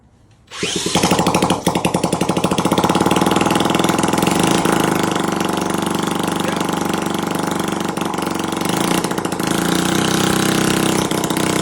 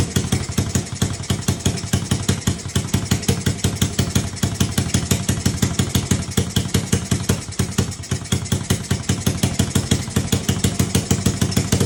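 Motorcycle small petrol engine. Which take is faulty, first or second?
first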